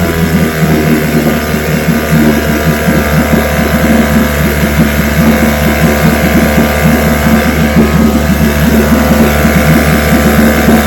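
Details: Vintage restored-then-repaired outboard on day five of a daily start test, started at full throttle on the second pull after the carburetor filled; steady two-stroke buzz at constant speed with no stumbling or surging; healthy.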